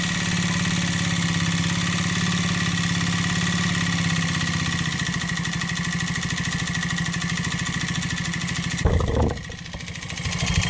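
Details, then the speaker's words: Deliberately induced piston slap in a 139QMB 50cc scooter engine, piston skirt ground shorter and cylinder sanded for large clearance: hollow rapid knocking at idle, audible only at low rpm and fading once throttle is added. "Słyszeliście jak Piston Slap brzmi On brzmi tylko na wolnych obrotach jak dodacie lekko gazu i później już tłok tak szybko zasuwa że nie jesteście w stanie wychwycić tego brzmienia"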